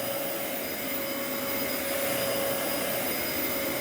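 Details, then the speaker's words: Old Dyson vacuum on carpet mode: steady high-pitched motor roar with a thin whistle and no beater sound; the brush roll is not turning at all because its clutch has completely failed. "brush is not turning at all that clutch is crapped out does not shock me one bit"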